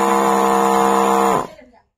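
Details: 12 V DC spray/water pump motor after screws tightened, running dry: steady buzzing hum at constant pitch, smooth and even, winding down when switched off; normal dry running.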